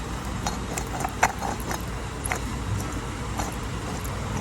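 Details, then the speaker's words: Wheel bearing removed from a Toyota Corolla LE with a grinding noise while driving, turned by hand: quiet, uneven ticking and gritty crackle with no engine noise; worn, rough bearing needing a bearing assembly. "Hear that crustiness going on in there? That's nasty."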